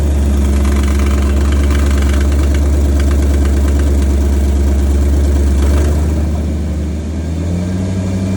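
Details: 2014 Maserati GranTurismo V8 with 36K miles at steady idle, rhythmic pulsing about three or four beats a second, then a rev blip; strange engine noise, owner still diagnosing, cause not identified.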